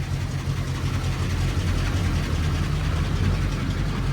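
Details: 1934 Ford Coupe after a suspected timing or fuel issue, started up: steady, even low rumble with no misses or stumbles over four seconds; engine idling smoothly and healthily.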